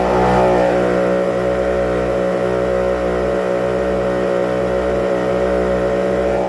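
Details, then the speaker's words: 1999 Yamaha LS 2000 twin two-strokes rebuilt with SBT cylinder kits and cleaned carbs, run at raised rpm short of full throttle to avoid cavitation: steady, even buzzing, both engines in harmony, no misses or knocks. Normal running. "That's what you're looking for, is that harmony."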